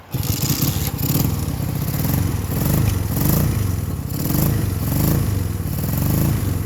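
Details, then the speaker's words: 1965 Honda CB160 twin, 1070 miles, sat decades, carbs cleaned, new points/condenser and battery, kick-started: low lumpy idle swelling and sagging about once a second with uneven pops; right cylinder earlier dead from fouled plug, still runs rough. "we started it the left cylinder was on the right cylinder wasn't found a filed spark plug so I guess that's not too bad after who knows how many probably 40 50 years of sitting so she doesn't run perfect"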